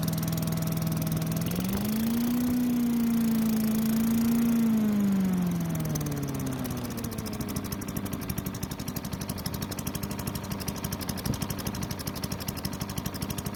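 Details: Craftsman chipper vac with Tecumseh engine, long stored, briefly flares then settles into a steady, even run without the earlier over-revving (suspected stuck governor); runs well despite low compression.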